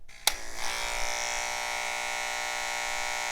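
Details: Wahl KM10 cordless dog clipper switched on: harsh buzzy high-pitched drone with rattly edge; blade chatter from worn blade drive and loose hinge screws, fix by replacing blade drive.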